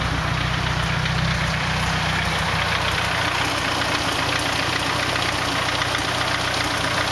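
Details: 240 KA-T engine at steady idle with an uneven faint knocking running through it; engine noise, cause unclear.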